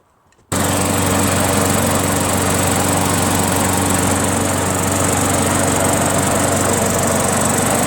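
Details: Craftsman 21-inch self-propelled mower, 6.5 HP Tecumseh single-cylinder, after carburetor cleaned of gum and reassembled: catches quickly, holds a steady even buzz with no surging or misses; now starts and runs smoothly.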